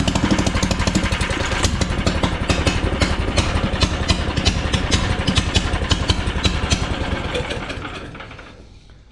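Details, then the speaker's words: John Deere AMT 600 with swapped small engine and motorcycle-style slide carburetor, no muffler fitted: loud, raspy exhaust with irregular popping over a rapid beat, uneven and harsh; running rough, cause unclear. "Yeah, we got to do something about that exhaust. It's not happy."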